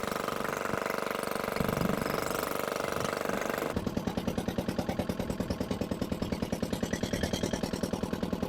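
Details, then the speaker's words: Barn-find dumper, single-cylinder diesel, first run after revival with no exhaust: very loud sharp even bark about 2.5 beats a second, very smoky, revs seem very high; owner unsure, injector trouble possible but unconfirmed. "I definitely need to get that exhaust on that was absolutely Bonkers loud"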